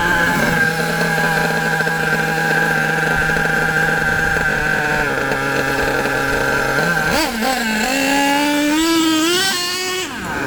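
Steady high buzzing tick over, then a clean smooth climb in pitch as it revs with no stumbling; nitro engine sounds well tuned.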